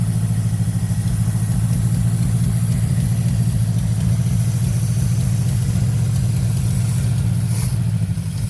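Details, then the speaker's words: Small block Chevy 350 V8 from a 1979 Monte Carlo that sat 27 years, run after new plug wires and vacuum hoses: a low, lumpy, uneven idle, with the accelerator pump said to be audible; the carburetor needs a rebuild, though the engine held pressure. "it took a few hours to get it running and replace the plug wires some vacuum hoses and i'm sure you can hear that accelerator pump and the carburetor definitely needs to be rebuilt but it started up held old pressure"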